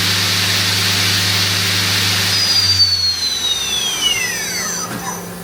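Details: Mori Seiki NTX1000/SZM CNC lathe, 26,832 spindle hours, main spindle run at about 4,000 rpm then winding down: smooth high clean whine easing off evenly, no grinding, rattle or roughness; healthy spindle.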